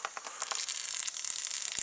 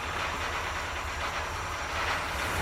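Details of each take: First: Triumph Spitfire MKIII after head rebuild, cooling system pressure test with air: thin steady high hiss with fine crackling as air escapes from the upper radiator hose. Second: MKIII Triumph Spitfire, first start after a head rebuild, with oil pressure showing instantly: starter cranks, the engine catches after about three seconds and settles into a steady, even idle; normal idle.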